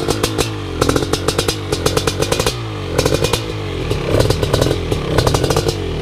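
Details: First startup of a fresh BRC 500 engine kit in a 2015 Husqvarna TE 250 with SmartCarb 40mm billet carb, TPS and PowerCDI ignition. The big single barks and crackles through repeated sharp blips, picking up cleanly each time and settling back; healthy.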